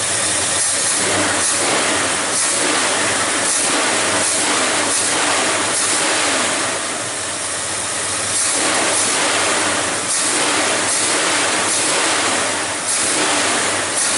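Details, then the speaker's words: 1978 Chevy K10 350 V8 after intake manifold gasket replacement, distributor set by eye, timing unchecked; fires up and idles with a fairly steady, even beat and a lot of hiss, sounds okay. "you seen it did fire up it does run don't sound bad"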